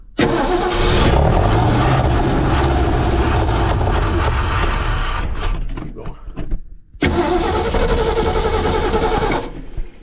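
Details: 1968 Ford F100/F250 truck: the starter spins the engine at a steady four-odd beats a second but it never fires. No fuel is getting through to the carburetor, so fuel starvation, while they try to get fuel pumping to it.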